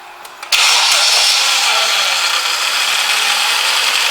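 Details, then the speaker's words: Power steering system that had been completely empty, being bled by turning lock to lock with the engine running. Pump noise is much reduced from the start, with no groaning or whine remaining. Normal power steering operation. "ess and less there still a bit of noise there but there's nowhere near as by as when we started"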